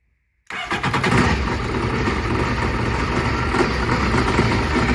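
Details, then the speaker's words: 2008 Yamaha VX1100 jet ski at the shop with a throttle body issue. After a short crank it idles with an uneven, stumbling pulse, then shuts off; the throttle body makes random noises. The suspected cause is current not fully reaching the throttle body. "So that wasn't actually too bad. It actually ran, but it's running a little rough."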